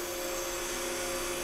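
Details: Steady even hum with a high airy whir from a 12 V DC to 180 V DC rotary motor-generator converter fed by a battery, running normally and outputting about 180–181 V.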